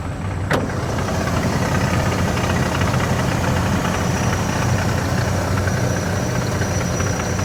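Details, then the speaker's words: 1996 Ford F-150 with 144,000 miles that has been sitting, idling under the hood: a light, fast rattle rides over the engine note; the owner suspects the water pump, not confirmed; engine rattle. "Yeah, a little rattling I hear. I think it sounds like a water pump."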